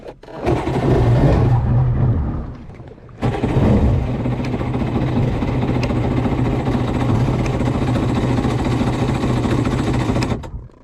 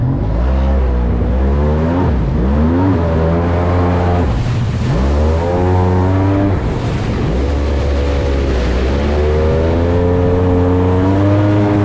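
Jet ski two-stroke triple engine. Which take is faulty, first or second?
first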